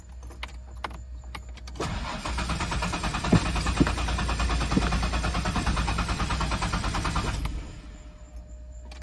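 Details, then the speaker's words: 1991 Ford Explorer 4-door 5-speed 4x4 after its engine was sprayed down: starter spins evenly about five seconds with no firing, then quits. Owner suspects something got wet; the fuel pump keeps running instead of a brief prime. "But what's interesting, it sounds like the fuel pump just runs and runs. When you prime it, you know, it should just be a quick and shut off."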